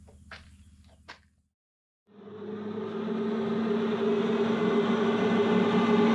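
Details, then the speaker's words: Redmax EBZ5150 two-stroke backpack blower after carburettor replacement (old carb blocked from ethanol bad gas): after a brief pause it fires and climbs to a steady, smooth buzz with fan roar building; blower running normally. "as you can see we got the blower back operational it's good and going or should I say good and blowing"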